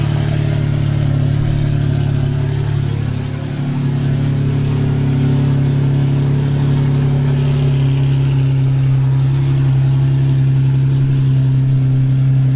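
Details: Cammed full-bolt-on Infiniti G35 V6 after crash rebuild, cam timing redone to fix exhaust cam bank 1 out-of-time code: deep, steady lumpy idle, even loping beat, no ticks or knocks, no check engine light.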